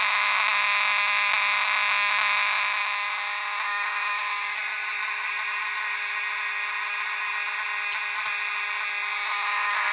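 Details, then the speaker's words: Horn on a Potter PFC-6006B fire alarm panel putting out filtered DC, not full-wave rectified: a steady, even buzzing tone with a slight built-in rasp, no stutter or chatter. This is normal horn operation. "And this horn does sound scratchy, so if you hear it and it sounds a bit scratchy, that's not FWR, that's just what it sounds like."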